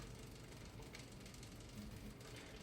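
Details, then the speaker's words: Bicycle drivetrain backpedaling after chain tension and alignment adjustment, cleaning and fresh lube: a soft, steady chain whirr with no clicks, skips or grinding. Normal chain, chainring and cog noise. "that's just the general noise of this drivetrain generally speaking that is the noise you're going to get out of here it's the ambient noise it's the average noise it's just the drivetrain the chain and the chainring and the cog all frictioning together that's the sound you're gonna get"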